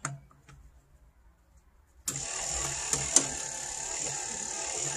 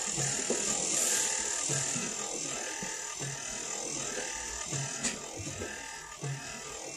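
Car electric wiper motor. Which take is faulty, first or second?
first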